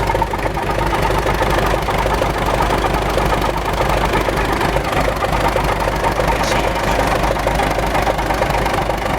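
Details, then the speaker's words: MTZ tractor running: steady droning hum from the gearbox over the engine's rapid chugging; owner suspects a failed 212 bearing in the creeper (reduction) gear, before disassembly. "сильно гудит в коробке, если слышно. Сейчас разберем. Я думаю, что подшипники 212 на ходоуменьшитель."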